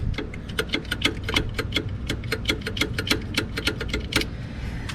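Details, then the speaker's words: Mazda, engine running: quick sharp ticks about five a second, a dry metallic clatter from the AC compressor; owner unsure whether only the clutch or the whole compressor is broken, hoping it's the clutch. "that is no good that is the air conditioning unit and i'm not sure if it's just the clutch that is broke or if it's the whole compressor that is broke"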